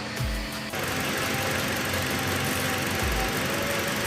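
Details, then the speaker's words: Toyota Kijang Innova 2.0 after water pump and valve cover seal replacement, radiator refilled with coolant: smooth, even idle with no knocking or squeal while warming to bleed air from the cooling system; normal idle. "guys ini semua sudah rapi sudah hidup mesinnya kita tunggu di mesinnya panas sampai kurang lebih setengah jam supaya udara di dalam aliran air radiator ini bisa keluar semua ya"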